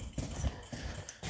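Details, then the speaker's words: Barn-find Ferrari 328 GTS under rebuild, left indicator on with only the rear bulb connected (side repeater and front disconnected): quick relay ticks about twice a second, faster than normal; hyperflash from missing bulbs. "You probably hear there I've got the left hand indicator on. It is flashing fast because we've only got one indicator currently on, which is on the back."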